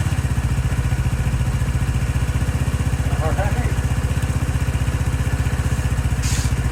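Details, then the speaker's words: 2018 Lance Cali Classic 125cc scooter first start after sitting, automatic choke suspected stuck: even, low thumping idle about four beats a second, smooth with no misses or mechanical noise. "nice and quiet seems like it wasn't happy with the automatic choke and I don't know what to do about that exactly but maybe it just needed fuel in it"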